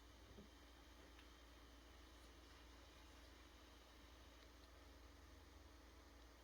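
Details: PS5 console with the Delta fan (Nidec-fan units hiss and whistle more): a soft, steady airy hiss with no rattle, whistle or pitch swings, how a quiet, normally working PS5 should sound.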